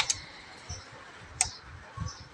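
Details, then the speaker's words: FinE&FinE Q800 amplifier at switch-on with speakers and signal connected: only two sharp relay clicks where three are expected (soft-start and amplifier relays). One relay never pulls in. "ต่อสายลำโพงเข้าต่อสัญญาณเข้านะครับมีเสียงรีเลย์ดูดนะครับดูด2ครั้ง"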